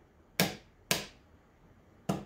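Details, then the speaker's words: Cub Cadet riding mower starter solenoid (4-post) bench-tested with a jumper box acting as key switch: three crisp single clicks, one each time power is applied; solenoid switching normally, just a switch sending power to the starter. "it's just a switch folks that's all it is to it every time i hit that key we're sending power to the starter"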